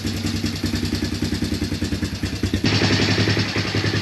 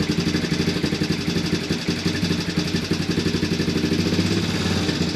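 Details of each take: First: Early-2000s Honda Recon ATV single-cylinder just fired up after new piston rings to fix smoking: idle about 3.5 beats a second with a light top-end tick; valves need adjusting. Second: Early-2000s Honda Recon ATV single after carb cleaning and old gas removal, battery just fitted, fed from a reserve tank; steady putter about three beats a second, no stumbling or hunting, no smoke seen yet.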